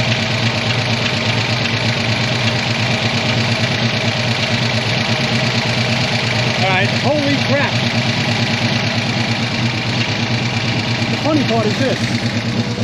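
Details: 1985 ASC McLaren coupe V8, newly built engine, first start since 2002 with eyeballed timing: chugging, uneven idle with a puffing exhaust as a nest is shot out of the exhaust system; rough running after storage.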